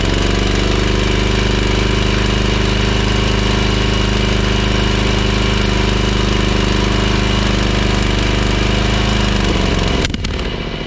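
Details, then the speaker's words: Ferris 52-inch commercial hydro walk-behind mower, twin-cylinder: lumpy, uneven idle then shutdown, running on one cylinder because something was left undone; a bad spark plug also suspected; still smoking and short on power under load afterward. "all right I know that sounded terrible but I actually fixed it because here's what just happened there it was running off of that cylinder because I left this [Laughter] undone"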